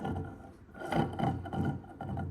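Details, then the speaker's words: Haas VF1 mill gearbox, overhauled with all new bearings and seals, turned by hand gives a rough rasping grind in uneven surges, unlike a silent un-overhauled unit; cause a badly burred, damaged gear. "so this one is the one that's had all new bearings and new seals, and you can hear it's not very nice at all."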